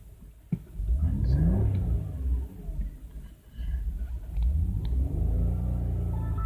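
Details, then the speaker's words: 2005 Audi A6 saloon petrol V6 revved twice: ragged, uneven at high RPM from a misfiring cylinder, check engine light flashing, customer reports loss of power. Engine misfire under revving. "yeah, the misfire is there at high RPMs, and you can see the check engine light is flashing."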